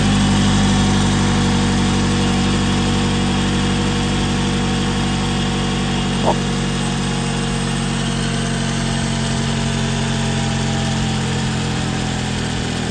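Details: 2011 Toyota Camry idling after serpentine belt replacement (old belt damaged by animal, fur found in engine bay): steady, even idle, smooth low hum, no belt squeal, slap or chirp; normal idle.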